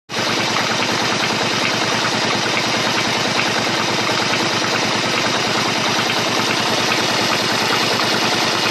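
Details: Engine at steady idle with a fast, hard clatter riding over it without letting up; abnormal engine noise, source unclear.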